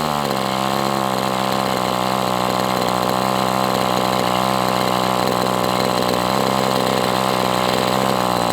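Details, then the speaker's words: MDS 68 FS Pro glow engine on a break-in run with an OS No. 8 glow plug: steady even buzz holding idle without dying; low end a little rich, so transition may suffer. "But look, I mean, it's idling. It may not have the best transition because it's a little rich, but I mean, it can't be too rich or it wouldn'"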